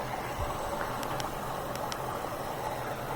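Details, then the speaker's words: Whirlpool washer after an F03 E01 error was cleared by unplugging to reset: a steady rushing hiss with a low hum and light clicks as water fills the drum. Normal water fill. "it's filling with you can hear it filling with water that's good"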